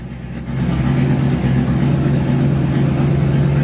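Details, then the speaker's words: 1971 Highboy V8 after carburetor rebuild and choke correction, just started, high idle on choke: low, even rumble with a steady hum and no misses or stumbles; runs smooth, normal idle. "Would you look at that? Running smooth as a button. You can balance a quarter on top of that engine right there."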